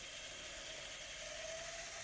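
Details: Tascam DA-45HR 24-bit professional DAT recorder under repair, running on isolated mains: a quiet, even high whir with a faint steady tone as the reels rewind smoothly. Playback drops out after seconds, so the tape is suspected of shifting in the tape path.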